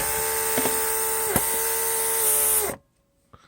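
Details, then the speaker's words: Repaired Mercedes W140 central locking pump on bench test, pipes closed off, pump switching on and off; internal vacuum leak deactivated; steady high whir under three seconds then clean shutoff — normal running. "I can close the pipe piping and pump comes on and off well that's all great"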